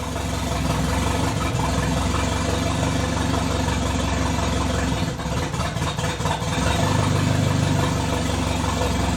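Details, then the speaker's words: The "200" with exhaust cut free, warming up after cold idle: low idle rumble that stumbles and dips midway before recovering. Misfire at idle; owner says it acts fuel-starved though the reading sits at 38, doubts a bad sensor. "would swear it's running out of fuel but it's sitting at 38p a die"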